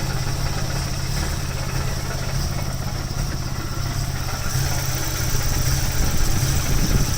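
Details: Nissan 240SX, KA24E: uneven, lumpy idle with irregular dips in the exhaust beat, about three to four stumbles a second, a steady misfire; distributor and O2 sensor replaced, injectors, ISC and MAF cleaned, no change; rattle is exhaust hitting driveshaft.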